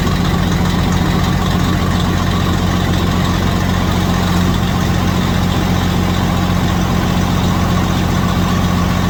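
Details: Detroit Series 60 14L semi truck diesel at first start after in-frame rebuild: deep, steady, even idle with no knocks or misses; some white smoke noted, owner suspects injectors; normal idle.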